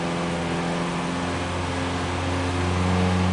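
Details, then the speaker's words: Ford Pinto with unleaded cylinder head, revved to about 2,500 rpm: steady engine drone that pulses and swells, shaking the whole car and bonnet; the cause was found to be a loose alternator bracket. "right as you can hear it by the whole car is now shaking look at the bonnet and then you'll hear about two and a half thousand revs for a real shaky experience sort of pulses there drone drone drone drone drone"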